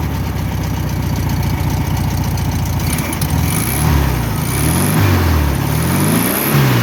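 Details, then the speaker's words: 1962 VW Bus air-cooled flat-four, single port, probably a 1500, that lost power and smoked on a trip; a spark plug wire had come off and was reconnected: settles into a steady idle after throttle blips, no knock or misfire; normal idle. "Good little motor, little single port."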